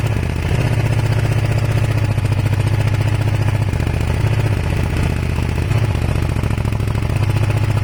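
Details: Kawasaki ER500 twin with white smoke: lumpy, uneven beat with repeated stumbles, one cylinder misfiring; owner suspects a broken head gasket, unconfirmed.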